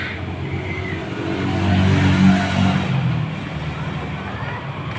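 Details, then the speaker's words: Yamaha Mio scooter after carburetor upgrade for fuel economy, throttle cable head ground smaller, test start: low steady putter with slight swell and settle, no misses or hunting; normal idle. "Oke, sepeda motornya di sini langsamnya normal ya."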